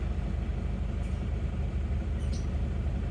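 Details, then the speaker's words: Isuzu Panther diesel after repair, heard from inside the cabin while revving on a test drive: steady, even idle chug with no rattle or knock; the earlier "nrek" valve-like noise at 2000+ rpm that persisted after a valve adjustment is gone, and the exhaust shows no smoke. "kalau kita gas dari dalam kabin suaranya rekrek sudah enggak kedengaran jadi Sudah suara bersih"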